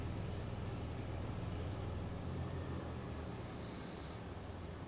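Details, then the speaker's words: 2007 Toyota FJ Cruiser with P0016 code, idling during scan-tool VVT actuation test on bank 1: idle roughens and sags, choking down; tensioner found fully extended, indicating a stretched timing chain. "You can hear our idle go wonky when we line up or we hit bank 1. And if we pause it, it's skewing further between the two."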